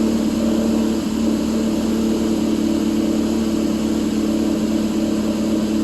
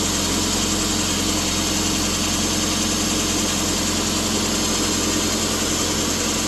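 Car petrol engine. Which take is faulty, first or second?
first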